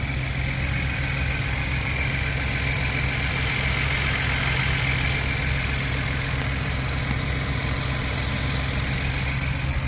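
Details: 2020-up Ford Bronco 2.7L just after a UPR oil catch can install: smooth, even idle with a steady low hum and a faint higher whir on top, nothing rough or ticking; sounds healthy.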